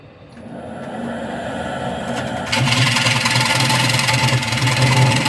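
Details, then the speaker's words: Wood lathe turning an off-centre display tray/pedestal with a split: rapid rattling chatter about four beats a second over the lathe hum, harsher as the tool bites; interrupted cut across open space. "That's what happens when you turn a lot of space. You get a lot of weird and unpleasant noises."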